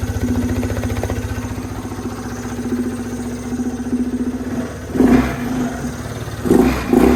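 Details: 2014 Yamaha Zuma 125 scooter stored since 2017, first start after fresh fuel: single cylinder putters at steady idle, takes quick throttle blips and returns smoothly; normal idle and revving.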